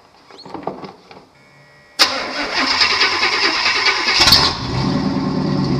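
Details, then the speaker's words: Chevy tow truck just after transmission swap: cranks, catches at once and settles into an even, steady run, no knocks or slipping noises; being run up to temperature, transmission fluid slightly low. "like sounds like a truck now that I got it together"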